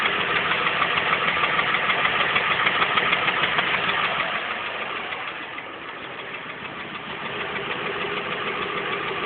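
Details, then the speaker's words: 1992 Ford F350 7.3 IDI non-turbo diesel idling: steady rapid knock about three beats a second over the clatter, newly started, earlier stopped when revved but now won't; owner suspects lifter, injectors, injection pump or a valve. "all right well trucks just started making this weird noise I don't know if it's a lifter injector or what it could be"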